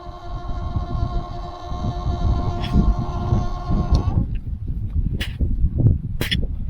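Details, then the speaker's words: Very old outdoor garden tap with hose attached, turned on; steady buzzing hum with a clear pitch for about four seconds then cuts off, caused by an old, faulty vacuum breaker, later replaced with a new DURA unit. "Over the last few years, when I turn this tap on, it makes a humming sound. It's not a hammering sound, it's a humming sound."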